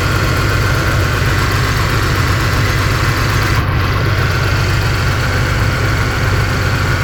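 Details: 2011 Cadillac SRX petrol V6 idling with an uneven, lumpy beat, about three stumbles a second, from a cylinder 3 misfire.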